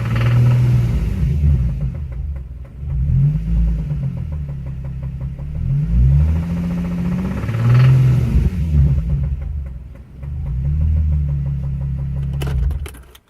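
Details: Nissan 350Z: engine revved in repeated bursts with heavy knocking rising each rev; spun bearing, began as a minor tick and grew to full-blown rod knock.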